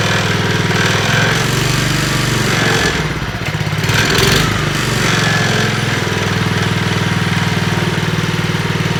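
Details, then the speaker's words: Trash-picked Honda Commercial HRC216HXA mower, first run: single-cylinder engine at a steady even beat with clean firing rhythm. Normal running. "listen to it it sounds wonderful"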